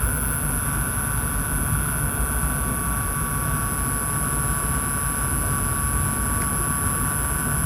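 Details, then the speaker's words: OEM GPU fan in an Optiplex after lithium-grease fix, at max heat and max fan speed under stress test: steady air rush with thin constant whine, spinning evenly; before the fix it would not spin. "And this is on max heat and max fan speed when I was running FMAR. So, in idle it, you don't even hear it. And before it wasn't even spinning."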